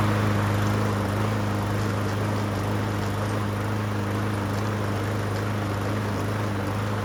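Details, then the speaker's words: Yard Machines mower after fitting a brand-new blade to cure heavy vibration: steady even engine drone, clean low hum, no wobble or knock; runs much better, normal running. "All right, just replace the blade. See how it runs now."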